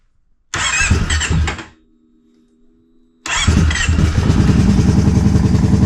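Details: 2011 Kawasaki Brute Force 750 4x4 fuel-injected ATV, front end wrecked and rebuilt by dealer with diff lock not working: starter churns, faint whir, then busy idle with extra whining like a spaceship; source unclear.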